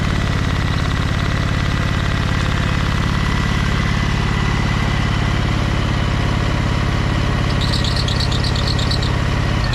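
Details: Briggs & Stratton Vanguard 23HP V-twin on a Little Wonder hedge trimmer, after primer bulb replacement and carburetor cleaning, low throttle: steady, even beat with a regular low thump, no misses, knocks or hunting. Smooth, healthy idle.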